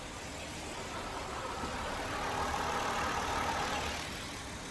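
Smooth, even idle with steady rhythm and no knocks or ticks; engine running cleanly.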